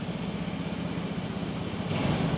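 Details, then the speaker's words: Carbureted first-generation Honda Scoopy bought used with a rough puttied, spray-painted body; engine started and slightly throttled gives a low, even idle putter with steady rhythm, no tapping or misses, rising slightly near the end. Normal idle, engine still smooth. "halus loh. Ini kira-kira motor pemilik sebelumnya ngerawat apa enggak menurut lo?"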